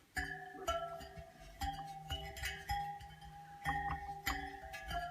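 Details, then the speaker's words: Bicycle wheel being spoked, tension checked by plucking each spoke after quarter-turn tightening: each rings a clear, similar note with none dull or noticeably higher, so tension is reasonably even around the wheel. "all have that tension you can hear it"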